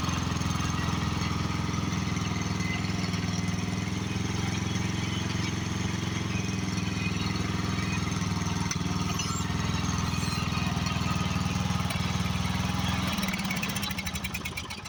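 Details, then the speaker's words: Craftsman riding mower with 13.5 hp Briggs & Stratton overhead-valve engine fitted with the wrong spare carburetor: holds a fast, steady run and won't drop to idle before dying out; carburetor to be replaced. "also the carburetor I have on it is not the right car ready for it it's one I had laying in my shop that just can't get it to idle down"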